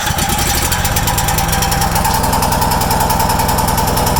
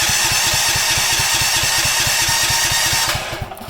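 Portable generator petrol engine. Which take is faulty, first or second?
second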